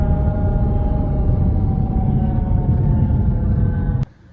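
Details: Audi all-wheel-drive car: heavy low rumble with a steady droning tone on top, suspected worn transmission bearing, not confirmed.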